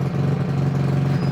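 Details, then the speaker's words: Trailmaster MB200 mini bike, modified Jiang Dong 196cc OHV engine rebuilt after broken crankshaft, new crank, rod and Fire 265 cam, first start for cam break-in on choke: steady, even single-cylinder thump, no knocks or rattles; sounds healthy. "Yeah, dude, it sounds like a mean one."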